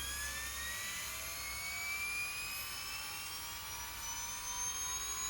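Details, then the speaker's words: LOSI 1/4 Promoto-MX motorcycle RTR, stabilizing flywheel switched on: thin high whine climbing steadily, taking about 10–20 seconds to reach speed then evening out; normal spin-up, no rubbing. "that's really moving that uh flywheel and it's still going maybe it takes about 10 15 maybe 20 seconds to get up to speed but then you can tell it sort of evens out"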